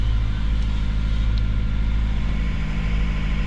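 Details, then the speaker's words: Mazda 3 after top overhaul following earlier overheating, no check engine light, idle not dropping: starts with heavy, uneven, lumpy stumbling thumping and strong shaking felt in the body; rough idle from low compression on two cylinders. "nagc start siya pero sobrang yanig yung makina Mararamdaman mo rito sa body"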